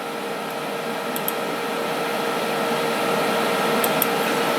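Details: Steady loud whir with a constant humming note and airy hiss, no speed changes, from an old desktop PC's cooling fans; loud fan noise.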